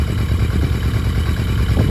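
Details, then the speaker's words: Barn-find 1982 Yamaha Maxim 750 or 1983 Honda Shadow with the idle knob turned clockwise and set a bit higher than 1,000. Low, steady thump with even firing pulses and no misses: normal idle. "That seems pretty smooth to me, so I'm happy with that idle on this bike."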